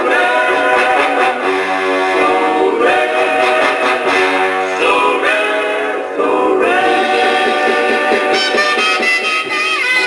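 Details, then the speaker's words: Webcor Musicale Model 333 record player, reassembled: a 45 plays clean and steady with no wow, hum or surface crackle standing out; 45s and 33s play nice and clear, healthy playback. "you can hear it plays very nice and clear 45s and 33 s"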